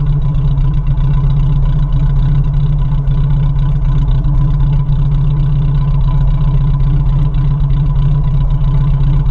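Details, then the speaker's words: 1987 Suzuki Samurai warming up after fuel filter change: deep, lumpy idle with uneven exhaust pulses and dropped beats, missing badly; owner suspects catalytic converter; it stalls at stops, floods and smokes black/bluish on restart. "now it's not sucking it in but it's also missing horrible"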